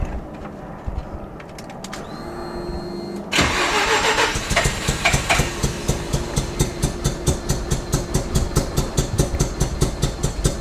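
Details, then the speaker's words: Mazda FD RX7 rotary that suddenly began running on one rotor: long crank, then a lumpy, uneven chuffing like a tractor; engine suspected blown with low compression, appointment booked with a rotary specialist. "you could just tell by the sound of that that did not sound good"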